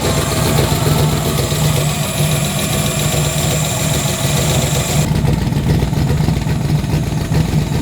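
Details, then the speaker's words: First start of a turbo Chevrolet Nova engine on ethanol: lumpy, uneven idle with stumbling exhaust pulses; spark plug wire suspected, temp gun shows two cylinders cold, misfire on two cylinders. "it sounds a little off and I know I was I I was questioning some spark plug wire over there"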